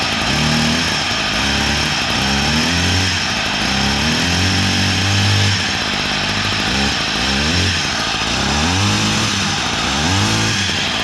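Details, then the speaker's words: Echo PE-200 edger left outside through Hurricane Helene, test-run after restart: small two-stroke revving unevenly with a rough gravelly grinding rasp; worn crank bearings suspected, and the engine appeared to seize shortly after. "still she'll run o That's bearings boy you can hear them"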